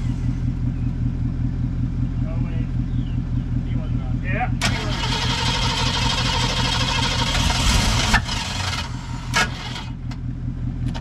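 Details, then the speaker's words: 1970 Mustang, starting for the drive home: steady cranking then harsh metallic grind for about three seconds; owner asks if the flywheel is missing a tooth; then it starts; belt squeal blamed on sprayed penetrating oil. "sounded like metal on metal is your flywheel missing a tooth there it is started"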